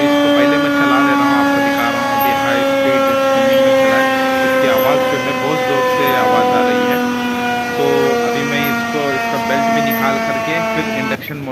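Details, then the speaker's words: Lavamac commercial washing machine during spin, before the drum-versus-induction-motor bearing check: loud, steady high whine with a layered tone shifting slightly as the drum spins fast. Bearing noise. "ये लावा Mac machine में जो है bearing का problem होने की वजह से इसकी स्पिनिंग में जब भी ये जा रहा है तो बहुत जोर से इसकी साउंड अब नॉर्मल नॉइस हो रही है"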